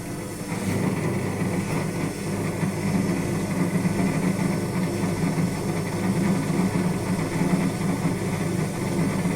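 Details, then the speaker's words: Indesit WS84TX washing machine during high-speed spin and draining: a deep, rough, steady rumbling growl and vibration from the drain pump motor. Failing drain pump suspected; advice is to check the hoses for debris and replace the pump. "При отжатии и откачке воды наблюдается посторонний шум, то есть когда при больших оборотах начинается отжатие, слышен какой-то посторонний шум и слышно вот вибрации именно того моторчика, который откачивает воду."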